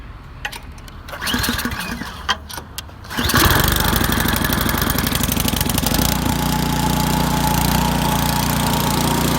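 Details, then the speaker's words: 24-inch Powersmart snow blower, near new, after cleaning a clogged carburetor jet/air bleed from old gas: catches after a few pulls, choke fully off, holds steady even speed; no longer surging. "There we go, choke all the way off. It's no longer surging."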